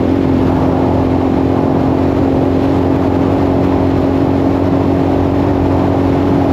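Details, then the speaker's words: 1984 Yamaha XT600 after swapping wrong-sized carb jets for correct standard jets, fresh plug, desert test: steady, even drone at wide-open throttle up to 75 with no breaking up; some popping off-throttle, possibly slightly lean. "Wow, I did not expect it to just not break up. I got all the way up to 75 and it didn't break up at all."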